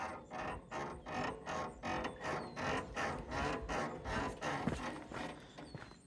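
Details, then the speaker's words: Overlanding truck rolling slowly after a high-clearance forest trail: steady creaking squeak repeating about two and a half times a second from the front suspension; front-end squeak that developed on the trail, cause not yet checked. "On that trail we were just on, I think I developed a front end squeak from that. I'll show you guys here in a second."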